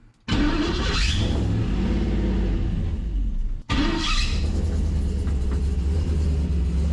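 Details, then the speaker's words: 1973 Chevrolet truck V8, first start with newly finished exhaust after hooking up coolant hoses and lines, coolant puking from vent: starts first try, blips, settles to steady even rumble, quiet turbo-muffler sound, no misfire or tapping; normal idle. "She's pretty quiet. First time getting to hear our exhaust. Can't say I love how it sounds. Kind of got that turbo muffler sound going on."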